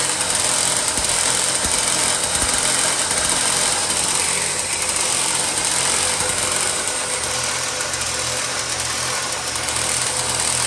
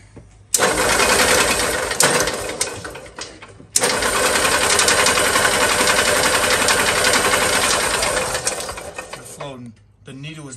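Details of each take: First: 1970s EZGO golf cart engine after reseating the carburettor float needle and starter-generator repair, choked start: steady, busy engine chatter holding even speed with no misses, surging or knocking; runs properly. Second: 1970s EZGO golf cart after internal starter-generator brush repair, choked: the engine stumbles and cuts out in uneven bursts. A new carburetor needle is not seated, flooding the engine, with fuel pouring from the drain; fix is reseating the needle.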